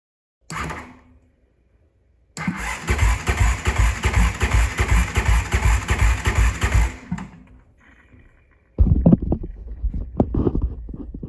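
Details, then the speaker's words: 2005 Honda CRF450X stored about 10 years, cranking after valve clearance adjustment: even cranking pulses, roughly three a second, no firing; compression gauge rose from 30 to about 50 psi, kept low by decompression mechanism; enough to run, healthy. "looky there it used to be 30 lb now it's about [Music] 50ish and the only reason is that low is because it has the decompression mechanism on here"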